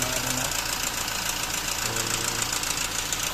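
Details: Toyota 1GD-FTV diesel before timing chain kit replacement: quick fairly even metallic rattle, about three or four per second, over the idle from the front of the engine; worn timing chain, a common 1GD issue.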